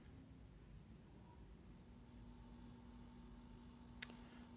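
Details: Philips 14PT616A/78 CRT TV with translucent back, just after switch-on: low rumbling hiss with a steady hum tone from the speaker, an audio noise fault not caused by audio amplifier filtering.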